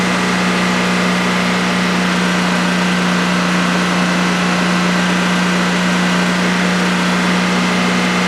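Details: DuroMax XP15000HX generator newly set up in a shed, on its second start, running on propane with the exhaust fan off: a constant, even hum with a steady low tone and no hunting or knocking over a 5-minute run. Normal idle.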